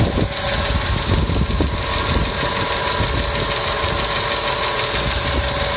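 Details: Engine hydraulic lifters (compensators) ticking: light, uneven ticking about two per second over a steady idle; client complained of engine noise, treated with a TOPLIVODAR additive (repeat dose after 500 km advised), after which the noise was reported eliminated.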